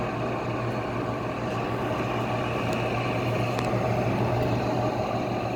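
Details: Goldstar WG5004 window air conditioner on low fan; steady low fan hum with constant rough grinding rasp, fan motor bearings noisy but good spin-down time, not completely dry.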